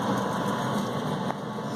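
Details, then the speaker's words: St. Croix Prescott pellet stove, off-season test run in late July 2018, first run since May: steady even fan whir right after switch-on as it purges the stove with fresh air, no rattle or scrape; combustion blower normal. "So you hear the fan going right now. So that's taking all the air inside the stove and flushing it out with fresh air."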